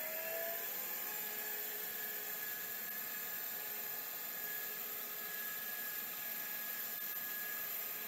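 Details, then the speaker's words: Last of the Miniscribe 3212 Plus hard drives, terminator installed: a thin high squeal over a quiet steady whir with no seek ticks; owner suspects a possible head crash, to be checked by opening the lid. "actually that might be a head crash we'll pop the lid and find out"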